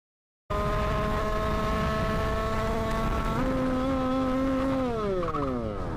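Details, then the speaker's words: 2020 Sherco SM-RS two-stroke with 86cc Stage 6 kit, 32 mm carburetor: screams at steady high revs without dropping, steps higher, slowly winds down; carburetor slide stuck open, possibly a manufacturing defect or the return spring. "le moment où ça fait b parce que ça reste à accélérer tout"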